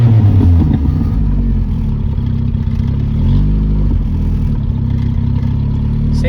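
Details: 1977 Honda CVCC with Weber 32/36 carburetor, off the road 11 years, choke not hooked up in hot weather: deep, even idle around 1200 rpm with no misses, knocks or hunting; engine running smoothly.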